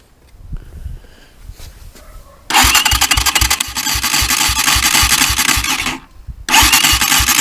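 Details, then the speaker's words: Chinese motorcycle engine knocking when starting and when shut off: hard rhythmic knocking about four times a second through cranking, start and restart. The cause is a chipped gear under the engine side cover. "вот такой нехороший звук исходит из двигателя сейчас я вам покажу в чем причина данного звука а причина заключается вот под этой крышкой"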